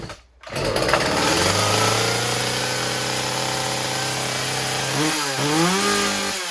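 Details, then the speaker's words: Husqvarna 36 chainsaw after fixing a stuck carburetor needle; fast steady buzz at idle with the chain spinning because idle was set too high, then idle screw turned down until the chain stops. "okay I had to adjust idle down obviously it was too high chain was spinning like that so I turned the idle down so the chain stops"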